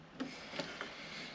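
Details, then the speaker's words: Electric Volvo V50 conversion with Nissan Leaf stack and Zombieverter VCU, switching to run mode: light ticks then sharper clack as pre-charge and main contactors close; contactors working as they should. "pre-charge works like it should. I hear that click."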